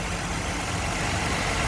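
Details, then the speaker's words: 2020 Ford Transit van, low kilometres, oil change due, heard from underneath at idle with air conditioning on: steady, even smooth low hum, no knocks or ticks; normal healthy idle. "We'll go under here so you can hear it running. Nice and smooth, no issues."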